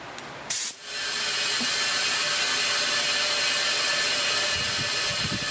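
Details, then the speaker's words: B20V-engined EG Honda Civic hatch, turbo being removed after overheating and oil leaks: with spark plugs removed and a valve holder fed into the plug hole, a sharp pop then a steady loud hiss as the air line fills the cylinder. "Now you hear it filling that cylinder with air."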